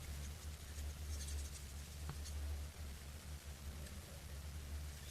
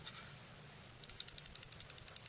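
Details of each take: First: Folding knife shaken back and forth 24 hours after Loctite was applied to the loose stop pin: stays quiet with no rattle, only low room hum. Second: Sound like a loose piece of metal is rolling around in your knife? Here's how you can fix that, easily.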